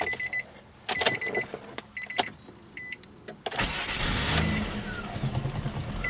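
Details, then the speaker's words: 2002 Nissan Maxima, manual transmission, after replacing starter and solenoid that previously screeched: a couple of chimes, quick crank that catches at once and settles into an even idle; normal start. "and as you could tell now it's able to start without a problem"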